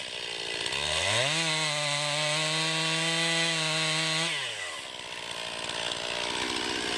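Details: 2020 Stihl MS261, non-M-Tronic carbureted, 20-inch bar, cutting a poplar log about 1.5 ft across with a straight cut and plunge cut: revs up to a high steady pitch, holds evenly without bogging, then drops to idle; healthy saw under load.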